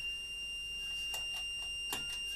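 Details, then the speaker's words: Faulty 1000 W 12 V battery inverter, previously working, owner suspects overload, on a battery: high piercing continuous alarm with short extra chirps; a plugged-in light gets no output. "so it's going beep as you can hear so i've just got this light here so uh wherever the plug is let's plug this in okay and now it doesn't do anything"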